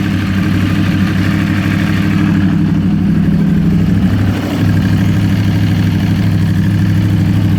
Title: Yamaha R1 2012 Ticking noise